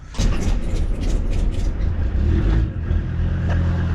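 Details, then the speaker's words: Used car bought at auction, suspected head gasket; after bleeding air the bubbles have stopped and the engine idles with a steady, even low rumble, no stumbling or cutting out. "Right, she's running. Now all we can do now is leave her running for a little bit and see if she cuts out."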